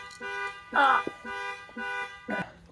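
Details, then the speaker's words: Dodge Durango panic alarm sounds repeating electronic horn-like blasts about twice a second, pulsing steadily after being accidentally set off. "stand by for runting that sound does the Panic alarm in my wife's Durango because I laid on the"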